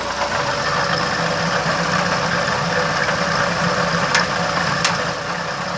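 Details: Volkswagen Gol G2 1.0, noise that started recently: steady idle with a fast, uneven ticking knock of about four a second over the engine hum; abnormal noise at idle, cause unknown.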